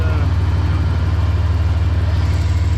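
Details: V8 truck just back together after oil pump failure (second in 18 months; pressure had dropped to about 30 psi), primed and timing set: deep low steady warming idle, even pulse, no misses, knocks or ticks.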